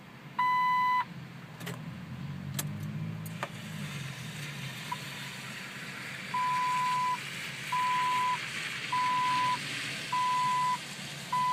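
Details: Jeep that won't start, being jump-started with brake pressed: clear, even high-pitched beeps in evenly spaced bursts with no engine catching; warning chime during failed start.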